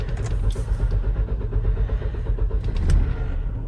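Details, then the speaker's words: 2015 Dodge Durango Limited AWD V6, 202,598 miles, no-start: after starting fluid is sprayed in, the engine catches and runs unevenly for a few seconds, then dies, confirming a fuel delivery problem; injector pulse is good, fuel pump suspected. "Starts right up. Takes a minute, starts up, and then dies. So basically, guys, a little bit of starting fluid shows us we got a fuel delivery problem."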